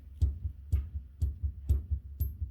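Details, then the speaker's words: 2003 Dodge Ram 1500 with the front wheel off: rocking the hub up and down and in and out gives dull metallic clunks about twice a second from worn lower ball joints, before replacement of the ball joints and upper control arms. "you guys remember before we grabbed it had a bunch of up and down in and out you could hear it clank or clunk the ball joins everything clunking"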